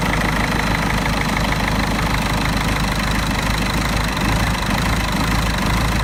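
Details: Mercedes OM646 diesel idling cold with an irregular, lumpy knock, a rough idle from a faulty EGR valve that lasts only until coolant reaches 60 °C.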